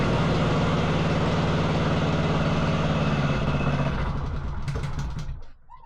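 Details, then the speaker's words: Wacker Neuson VP1030 plate compactor, bought used: rapid steady chugging, about 220 beats a minute, fades and dies over the last two seconds. It stays running only with the choke on. "oh that won't stay running strange isn't it why would it only run with choke on then"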